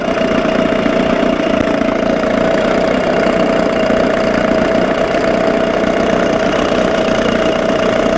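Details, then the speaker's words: 1987 Johnson 6 hp outboard in neutral after carburetor linkage fix; steady idle with sharp whine and slightly uneven hunting note as mixture needle turned in too far, running lean; fuel/oil buildup now near normal. "yeah you see it building up oh leaned out on me see it building up but that's nothing compared to what this thing was doing that's like normal"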